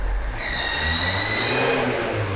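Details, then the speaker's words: Kia Sorento 2.2 diesel (D4HB), high thin whistle rising with revs from a failing turbocharger; engine already diagnosed with a dead turbo (not its first), blamed on the second EGR valve feeding debris onto the compressor wheel, EGR being blanked off. "вот этот свист слушайте это то есть это свист уже очередной турбины"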